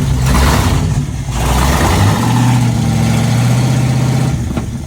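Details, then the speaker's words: SN95 Mustang after V6-to-new-engine swap and ignition system fix: deep blatty roar booming with throttle blips; straight-piped before-axle dump exhaust with no mufflers. "Now with it running, it still sounds like a tractor. It's just straight piped, you know. It was just a before axle dump. There was nothing."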